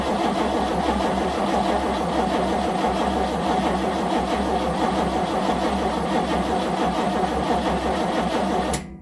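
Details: 1970 Nova SS, first cold crank of 2023 after sitting since October 2022 with no battery charging: steady even starter cranking about nine seconds with no firing, then stops; cranks but no start.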